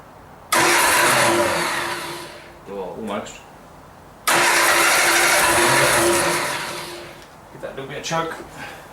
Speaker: it sounds good pretty sweet